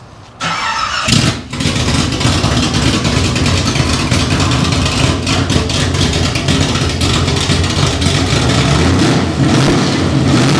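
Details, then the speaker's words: First start of a new roughly 400 hp V8 in a 1971 Chevy Nova, running with no exhaust or headers and transmission linkage not yet fitted. The starter catches into a loud, steady, deep open rumble. Normal running. "so it's just bright white and motor going so it sounds good sounds real good my head hurts oh man you know the second you fire up a car with no headers on it"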